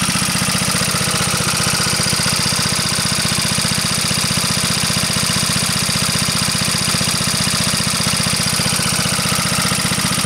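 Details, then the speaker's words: Onan PE-88 military power unit (350 W, 115 V 60 Hz generator) running under about 85–90% load with no misfire; steady single-cylinder beat with a bright, regular valve clack, judged not that bad; fuel shutoff gland dripping fuel. "still uh run on load hear the prity Clack of those valves it's not that [Music] bad"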